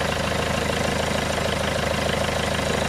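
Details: Peugeot 406 2.2 HDi diesel idling after the leaking high-pressure (R70) fuel pump was replaced, engine covers back on, being checked from underneath for leaks around the water pump and fuel pump; steady even diesel clatter, no misses or knocks, healthy.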